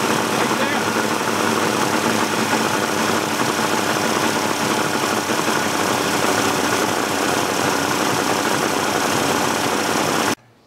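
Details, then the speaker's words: 1988 Mercury 70 hp inline three-cylinder two-stroke outboard, old and abused, running in a test tank. Loud, steady churning with no smooth settled beat; gas shoots from a carburetor jet, so something is clogged. Rough running from a clogged carburetor. "if you look right there at that jet you're gonna see gas shoot out of there so something is all clogged up in that cabaret"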